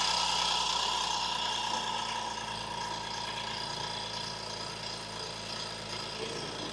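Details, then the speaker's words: 2014 BMW X5 with about 120,000 miles after tune-up replacing all 6 ignition coils and iridium spark plugs: steady smooth idle with faint even injector ticking over the hum; sounds healthy, normal idle. "just stick normal. Sounds good to me."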